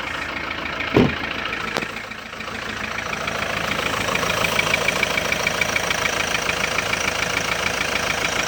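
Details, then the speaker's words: Kia Sorento 2.5 diesel knocking at idle after being floored hard: a rough, uneven ticking near three per second after a brief handling bump. The knock stops when the pedal is pressed and returns on release; owner suspects a hydraulic lifter or valve. "Оп, нажал. Ничего нет. Оп, отпускаешь, стучит. Как гидрик или клапан, хрен его знает."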